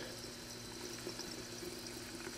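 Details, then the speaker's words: 1972 Lincoln Continental flooded lead-acid reproduction Autolite battery on charge, cranking slower over weeks: quiet constant fizzing and bubbling from a busy, cloudy cell; excessive gassing from overcharge because neighbouring cells are shorted. "that sounds even busier it's actually cloudy in there so it's uh really getting a charge"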